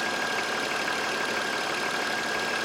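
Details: 2000 BMW E46 petrol six running on a replacement used engine after the revival repair: smooth, even idle with a steady faint whine and no knocks or misses. The engine sounds healthy, a normal idle.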